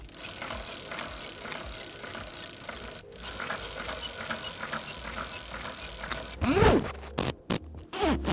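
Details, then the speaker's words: 50-year-old bicycle, rear wheel spun fast: a dry, gritty rasp with light irregular ticking that follows wheel speed; owner suspects the inner hub bearings, before bearing replacement and service. "The rear wheel is making a funny noise when the wheel is spinning, especially when it's very fast. I think it has to do with the inner bearings of the rear wheel."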